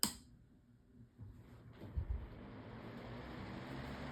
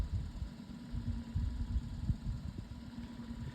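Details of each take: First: Modified Lasko 18-inch pedestal fan on high, after refitting the blade tighter on the shaft: soft, steady hum with even airflow and no rattle, scrape or ticking. The fan runs smoothly and quietly. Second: Modified Lasko 18-inch pedestal fan on high speed: a low, uneven throbbing thump under the fan's hum pulses as it spins, pointing to a blade wobbling loose on its shaft.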